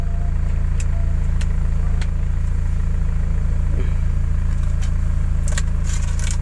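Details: Old car after AC service with upgraded condenser, evaporator and Sanden 507 compressor: smooth even idle with AC compressor running, idle-up raising rpm from 500 to 800, no knocks or squeals; healthy.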